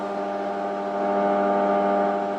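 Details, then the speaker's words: CB radio transmitting a 100 Hz test tone, heard through a monitor radio while checked on a scope and spectrum analyzer. The tone comes through thin and buzzy, all overtones and almost no bass, so little low frequency gets out: weak low-frequency transmit audio. "there's transmit at 100 hertz and you can see modulation of course it's really spread out because it's a really low frequency but yeah there's really not a lot of the the low frequency getting out"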